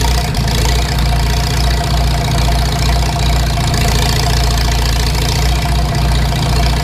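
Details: Farmall Super M tractor engine at idle before rebuild: heavy, low idle with a steady rhythmic knock on each firing beat. The knock is suspected to be in the bottom end, with the cause not yet found.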